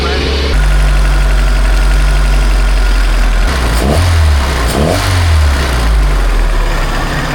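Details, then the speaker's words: Four-cylinder engine in an old Baretta boat, brought back after a long fight, with oil drained and diesel run through to blow it out: idles evenly, takes a couple of quick clean revs and settles back, running well. "Boy, did this thing fight us, but as you can see, it's running really well."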